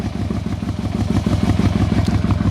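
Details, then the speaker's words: 1997 Yamaha Royal Star Tour Classic XVZ1300, genuine first cold start of a cold morning with a little choke: a steady, even low thrum idling just under 1,000 rpm with regular pulses and no knock or miss. Normal cold idle; the carbs could use tuning and balancing. "Idling over just under 1,000 RPM. That could probably get tuned up a little bit."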